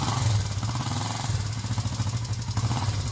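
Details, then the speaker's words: First start of a viewer's freshly built project engine: low, even thrumming exhaust pulse holding steady with no knocks or rattles; running cleanly, normal running. "This is his first start on his project here. You should be able to hear it. I hope so."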